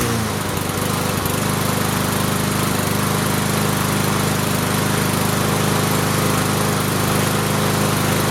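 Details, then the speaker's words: Free Cub Cadet Signature Series push mower after the governor was adjusted and a suspected small blockage cleared: an even, steady engine drone with no surging or misses; it runs normally. "There was probably a little blockage of some sort and it cleared out and then started running normally."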